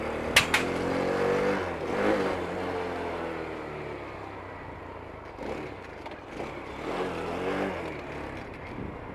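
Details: 2023 Vitacci Vader 125, 4-stroke air-cooled 125cc single, 4-speed manual, prepped new bike: thumps into life, blips up and settles, revs rise and fall cleanly with nothing odd underneath; normal idle and revving, healthy.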